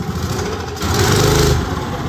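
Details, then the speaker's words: Old Briggs & Stratton go-kart engine, sat outside at least 8 years, earlier stuck valve and zero compression, running on a bike: putters at idle, stumbles as throttle opens, then revs strongly; hesitation off idle, idle circuit suspected. "Not want to come off idle. It's fucking monstrous once it does."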